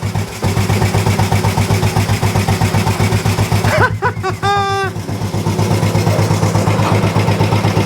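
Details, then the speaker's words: Old Royal Enfield 350 single, first start after standing, after carb work, decompressor not connected: fires and settles into a steady, even thump about four beats per second with no misses; best start yet after standing. "I think that's got to be the best one has ever ever started after it's been stood"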